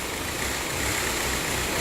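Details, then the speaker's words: 2004 VW Passat TDI 2.0L BHW diesel at idle: shaky, stumbling clatter that keeps dipping, a misfire (no combustion); EGR valve stuck open, not responding in output test, first suspected a bad camshaft. "okay we've got the engine running as you can probably hear it's shaken and stumbling obviously this is a misfire"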